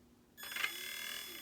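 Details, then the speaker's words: Traxxas Summit RC truck in low gear on LiPos: motor spins up to a high steady whine with faint ticking as the loosely meshed pinion hits the spur gear; too tight grinds, mesh being adjusted. "hear that that's it ticking the spur gear if we go further there it's hitting"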